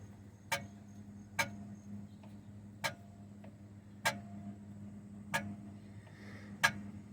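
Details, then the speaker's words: MGB clutch linkage after new slave cylinder and clutch hose, worked by hand in quiet room: sharp click about every second, little spring-back; owner unsure if normal, still can't shift out of neutral with engine running. "but does anyone know is it supposed to sound like this"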